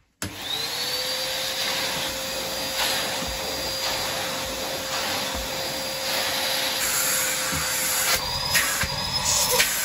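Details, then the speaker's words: 2007 Numatic Basil NB200 vacuum, used secondhand, run without a bag: motor spins up quickly to a steady clean whine with constant airflow rush, no grinding or wavering; sounds healthy. Normal vacuum motor running. "yeah that sounds really nice"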